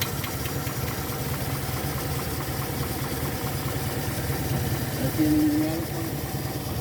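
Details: Engine after overheating repair, head removed, skimmed and reassembled, temperature gauge below half: steady even idle with low rumble, no knocks or misses; runs smoothly and healthy.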